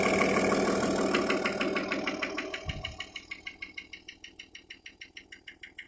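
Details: Audi A6 C5 2.5 TDI (AFB) diesel at idle: a sharp regular knock, about three per second, over the diesel clatter. It comes and goes at idle but is always present at higher rpm; the source is unknown.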